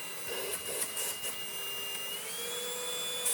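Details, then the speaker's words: Easine G50 cordless vacuum, first run on a low battery in auto mode: a few handling clicks, then a thin, steady high whine settling slightly higher. Smooth and quiet; normal vacuum motor running. "that's ever so quiet i like it for sound the suction isn't too horrific either"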